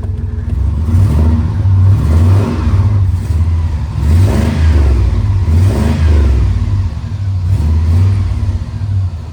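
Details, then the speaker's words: 3500HD 8.1 Big Block V8 after exhaust repair (manifold studs fixed, loose front bolt tightened, about 90% of the leak cured): idle and several revs in deep, even waves, no ticking or puffing; exhaust sealed. "Okay. So, this front bolt here was just loose. It was backed out maybe/ an inch. That got rid of another leak there, but 90% of my exhaust leak is taken care"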